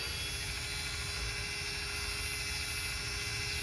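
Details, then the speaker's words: 2016–2022 Lexus RX 350 rear caliper electric parking brake motor powered by a 12 V jumper box during pad replacement: steady, even electric whir at constant pitch, rewinding normally until it stops. "So we have to go all the way until the engine, the motor doesn't make any more sound."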